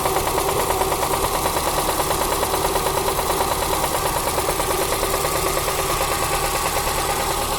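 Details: Toyota Corsa 5E-FHE engine at idle: steady, rapid, evenly spaced metallic knock from the bottom end; suspected connecting rod knock, engine to be opened; engine knock.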